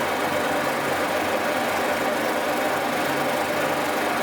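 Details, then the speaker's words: Old boring mill with new boring tooling, cutting at low speed with a high-speed steel tool boring through a drill-grinder attachment body after being reworked: steady, even rushing cut with no chatter, squeal or knocking. Normal cutting. "quite pleased with the way this old bo is running now it was worth putting the time and effort into it"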